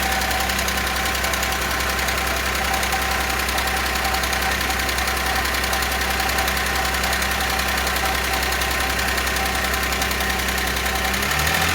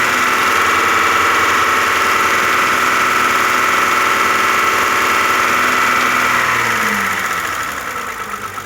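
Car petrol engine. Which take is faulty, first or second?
first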